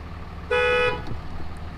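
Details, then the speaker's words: Salvaged Dodge Cummins diesel idling after injector replacement, fuel rail pressure around 7,000: single short electronic chime over low idle, apparently a door-ajar warning. "uh-oh oh there's a doors ajar maybe he doesn't like that"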